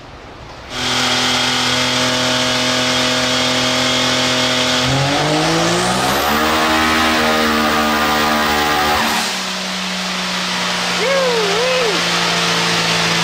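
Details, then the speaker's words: Turbocharged X3 side-by-side on a dyno with crack pressure raised about three pounds: revs climb hard under boost, then the note briefly stutters and flutters and drops off; boost is leaking at the intake manifold. "it broke up a little bit i heard that yeah it was a little bit of flubber there but uh overall didn't sound bad"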